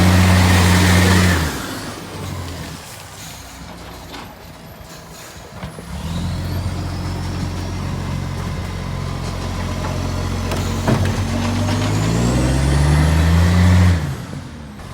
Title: Shire of Serpentine-Jarrahdale Garbage - SL001401 - EXHAUST LEAK - New Year’s Day special